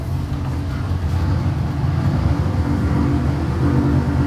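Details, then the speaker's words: Boosted V8 on a dyno pulling hard under load: uneven, spitting beat in the low rumble, popping under boost; suspected ignition issue, possibly spark being blown out when boost hits, mixture only high-11s so not too rich. "ly accelerated with Boost so when boost hits it it's could be blowing spark out or something that seems ignition related"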